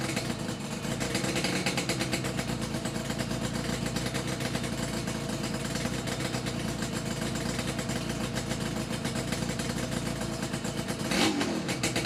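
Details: Yamaha RD350YPVS F2 two-stroke twin after full rebuild (all bearings, seals, rebore); plugs were loose on first run. Steady, even buzz with crisp regular firing beat, no knocking or rattle. Normal running, quiet and healthy.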